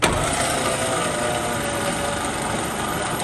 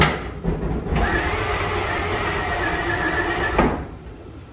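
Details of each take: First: 1954 Fargo half-ton flathead six, just rebuilt with new piston rings and with the spark plugs out, cranked on a low battery to push fresh oil through: a steady, lazy churning whirr with no firing and no speed build-up. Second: 1954 Fargo half-ton flathead six, first startup after piston ring install and valve adjustment: cranks, catches, settles into an even run, dips, then picks up cleanly again, healthy after the rebuild. Carb float overflowing; slight smoke from manifold oil.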